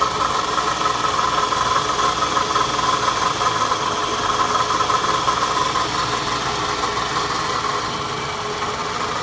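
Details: Foreign noise at idle: fast light rattling tick, about three per second, over steady idle; owner suspects timing chain, chain tensioner or chain guide, unconfirmed.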